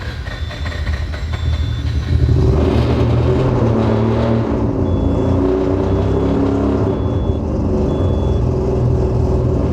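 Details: Rebuilt 20B three-rotor RX-7 engine hunting and stumbling at idle with about four uneven pulses a second, then a brief rev; running super lean in spots, possibly a fuel injector sticking closed.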